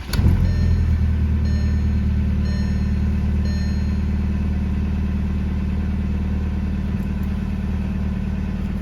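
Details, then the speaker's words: TDI diesel just after installing an electric lift pump with relay: quick catch on starting, then even diesel clatter settling into a steady idle without stumbles; idle sounds good and starting seems quicker. "this idling sounds good"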